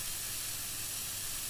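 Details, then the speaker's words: Solid-state Tesla coil destroyed by corona: steady, harsh, toneless sizzling hiss as something burns inside the coil when switched on; damage will worsen. "corona has once again destroyed my coil so when i turn it on now well as you can see there's something burning in there"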